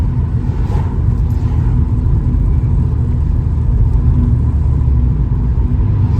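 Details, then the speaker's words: Vauxhall Astra GSi turbo, warmed up on a cold (2 °C) morning, after misfire on boost blamed on wrong spark plugs: deep, even roar builds smoothly under hard throttle, no stutter or popping; now pulls cleanly on boost. "That seems to pull nicer now, like, because beforehand you got like a bit of a an"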